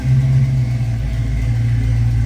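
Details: 1966 Ford Mustang V8, just after a cold start: smooth, even low rumble with a steady beat, nothing rattling or ticking. Normal cold idle.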